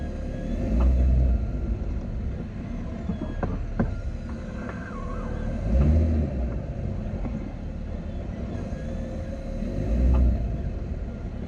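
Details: Jeep Wrangler JL: sharp irregular clicks over a low engine rumble when creeping slightly forward or reverse and turning the wheels left to right; owner unsure if from front, hears it more from the rear.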